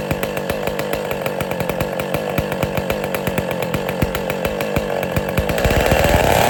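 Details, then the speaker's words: West Bend / Power Bee 820 two-stroke engine, first-ever start, not cold out, choke opened, throttle opened more, windy outdoors: rapid crisp regular popping picking up with throttle near the end, no misses; normal running. "But all right, that was the first time the engine has ever been started."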